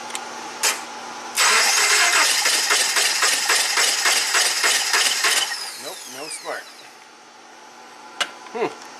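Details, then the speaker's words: 2009 Subaru Forester, crank no-start with no codes: engine cranks at an even four beats a second but never catches; the cylinder 1–2 ignition coil is dead, no spark on cylinders 1 and 2, number one plug fouled wet with fuel. "So, this coil, the one two coil is dead or not firing."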